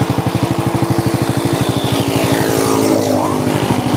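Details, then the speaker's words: Honda Supra motorcycle with internal damage from a previous careless workshop: even, steady idle pulses with no rattles or knocks; healthy normal idle. "motor masih bunyi loh herenyes-kerenyes ya kerenyes-kerinyes"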